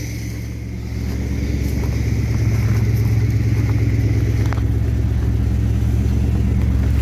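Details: Carbureted V8 with Thermoquad, idle mixture leaned slightly using vacuum gauge and idle raised: deep steady burble settling slightly faster, idle a touch high in park, owner may turn it down a hair.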